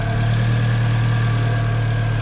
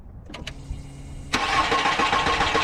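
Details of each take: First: Car with a dead battery started using a portable jump starter: smooth, even low hum at a steady pitch with no knocks or misses; the engine idles healthily. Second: Car with a dead battery, AUXITO 3500A jump starter attached and green light on: starter cranks briskly for about two seconds with a rhythmic churn but the engine never fires, then stops. Cranks but does not start; it starts on the next try.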